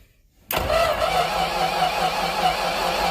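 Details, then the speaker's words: Normal running of a 1963 Ford F-100 292 Y-block V8 on first start after installing plugs, wires, distributor, coil, exhaust and cooling: silence, then it catches instantly and settles into an even idle; carburetor later sprayed gas and radiator leaked. "but yes it did start everything's the wirings right it actually sounded really good we ran it for a very short time"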